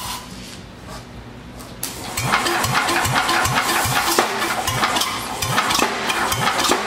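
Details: Vintage Wisconsin single-cylinder engine, revival attempt, on floor: hiss for two seconds, then catches and settles into a steady even chug of about two and a half beats per second, running well.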